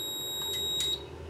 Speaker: if that bare copper makes contact with the metal box you'll hear the system start beeping that it's gone into ground F and the system is now indicating a ground ground